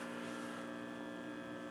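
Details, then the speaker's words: Admiral 17T1 television during restoration: steady low mains buzz of constant pitch in the audio. Audio output tube pin 8 shows essentially no ripple; electrolytics C31A/B already replaced; source not yet found. "I'm still struggling with the buzz in the Audio"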